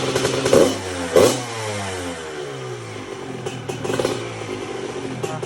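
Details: 1997 Honda CR125 two-stroke revving after a rebuild with a new Vertex B piston in a lightly honed cast-iron bore. Crisp blips climb and drop cleanly with no knock or rattle; healthy top end.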